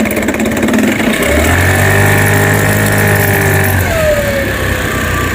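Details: New-body fuel-injected Cappuccino 50 scooter, fault light staying on at start: irregular metallic knock and rattle over idle, rising briefly with throttle; mechanic suspects prior tampering; loose flywheel key knocking.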